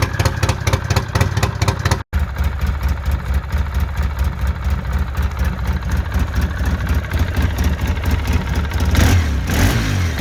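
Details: Polaris Sportsman 700 ATV, single cylinder: steady, even low idle thump with no sharp puffing or ticking.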